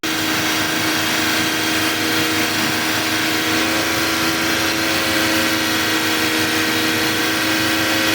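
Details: Toyota Agya after radiator reassembly and coolant refill, revved with AC off to full warm-up while watching for bubbling: steady, even drone at raised revs, no knocks or misfires, running cleanly.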